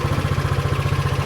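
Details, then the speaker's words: SYM Allo 125 moped bought with electrical faults, started after charging the battery to about 12.5 V, fairings off: even thumping of about thirteen pulses a second, a small single-cylinder engine settling into a clean normal idle. "okay so we've got about twelve point five volts now and that seems to be enough to start the engine so starts right up no problem"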